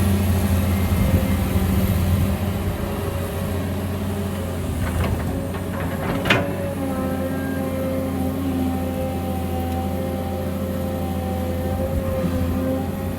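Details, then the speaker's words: Kobelco SK200-1 excavator, about 19 t, 6-cylinder turbo diesel with Kawasaki K3V pump, digging very sticky clay in hot weather. Deep diesel drone under heavy load with a loud, steady high whine on top: the hydraulic pump whining under load. "ในกล้องไม่แน่ใจว่าจะได้ยินเสียงปั้มเขาชัดไหมล่ะแต่ว่าอะไรผมอยู่อย่างนี้ค่อนข้างที่จะชัดนะครับ"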